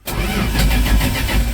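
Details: 1983 Dodge D150 that wouldn't start: starter turns engine over at even pace but never fires; coil has spark and fuel present, owner suspects coil wire. Crank no start, cause unconfirmed.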